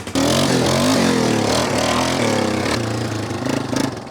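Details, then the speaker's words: 1995 Yamaha Wolverine 350 ATV after no-start (after a backfire) fixed with fresh fuel: single cylinder revs and settles cleanly, no sputter; exhaust leak and rattling baffles remain; suspected bad fuel with water. "out well the Wolverine's running good now the old y Wolverine 350 is running great now um no sputter at all"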